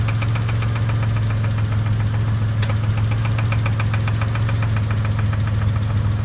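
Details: Dodge Stealth engine: rapid even ticking, about five to six per second, over a heavy low idle knock; suspected bent-valve tick and bottom-end knock, unconfirmed; engine smoking, oil pressure very high.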